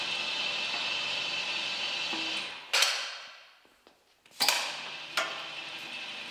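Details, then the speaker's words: 1960s AEC Routemaster London bus RM7, nearside front drum brake, wheel lifted and hand-spun after offside adjusted: light steady scraping hiss fading as it slows; slight shoe drag/binding, probably no adjustment needed, front brakes were out of balance. "so i don't think this nearside wheel needs adjustment because as you can hear it's already binding and because we've adjusted the offside it just shows how out of balance the two front brakes were"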